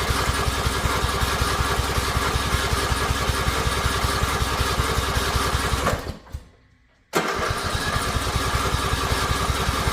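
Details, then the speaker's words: Riding mower that won't start, on choke; engine chugs unevenly and dies the moment the key is released, acting like it wants to catch but never keeps running. "Well, minute I let go of the key let it stops. But it's just not turning over."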